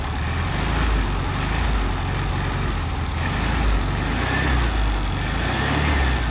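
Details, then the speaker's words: 1974 VW Beetle with a freshly installed 1641cc flat-four, alternator not charging: it runs with a lumpy, wavering, surging beat and won't hold an idle. Needs tuning. Rough idle. "it's definitely a good start that's for sure i got it running at least enough to be able to see if it move under its own power it doesn't want to idle really"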